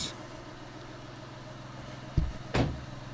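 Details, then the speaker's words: VW Polo 1.2 TDI diesel, 2012/2013, that started then stalled after two seconds, codes P261A00, P023800, P010400. Test start after a fix aimed at exhaust gases being robbed from the turbo: steady, even idle with no hunting or stumble. "so first test oops does it start idle all right oh oh it's looking rather good right there"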